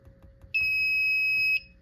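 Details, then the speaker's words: Silent Knight SK-4 fire alarm panel after reset, no standby batteries fitted. One steady high-pitched buzz of about a second in a quiet room: the trouble signal for missing batteries. "Now I reset the panel. Battery trouble's gonna go off because obviously there's no batteries."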